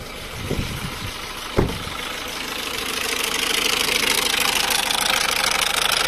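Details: 1.6 HDi diesel with suspected leaking injector seals and the engine warning light on, cold start: a hard, even clatter at about two to three beats a second that lessens but persists once warm. Cause is suspected, not confirmed.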